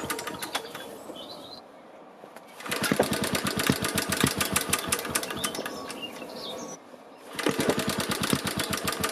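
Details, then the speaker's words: BSA 300 W ex-military generator (Chore Horse copy) after valve regrind and points cleaning, choke out, flexible exhaust: pull-start cranking with faint muffled pops, no catch; weak spark, magneto secondary winding open circuit, timing to be adjusted. "noticed that the engine did fire on a few of those attempts and it did that many more times when the camera wasn't rolling but in each case it sounded pretty muted like the spark was too"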